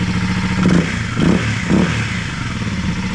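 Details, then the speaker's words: 2021 Kawasaki KLX300 single-cylinder started with airbox lid off, O2 sensor delete fitted: idle thump and quick blips with deeper, louder intake roar, more grunt without the restriction; no check engine light. "Started it without the airbox lid on it, and that sounds so much different right away without that huge restriction."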